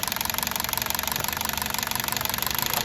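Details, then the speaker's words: Toyota Altis CNG, 200,000 on the clock, after cleaning dirty gas injectors that caused shaking: fast, even ticking over a steady smooth idle, no stumbles and no leaks. "โอเคนะครับไม่รั่วนะครับเรียบร้อยเรียบร้อยไม่มีรั่วครับเสียงเครื่องยนต์นิ่มมากนะลูกค้าบอกรถก็นิ่มเลยแจ๋วเลย"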